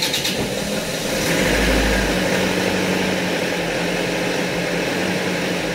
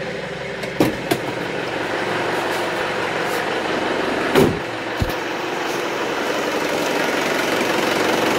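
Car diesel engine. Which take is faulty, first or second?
first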